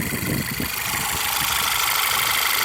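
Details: Engine ticking at idle after Seafoam in the oil and about 30 miles of driving: a light, quick tick-tick-tick over the steady idle, quieter than before but still present; source not pinned down, cause unconfirmed.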